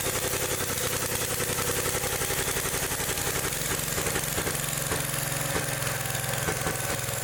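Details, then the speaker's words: Old Gravely engine revved up: loud but stumbling, uneven beat. The ignition points are still arcing when revved, with worn points and condenser upsetting the spark; carburetor adjustment doesn't help. "points are still aring when I rev It Up"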